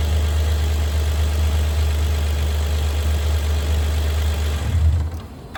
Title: Have a 2011 Hyundai Veracruz making a noise once you started when it's a cold start . what can it be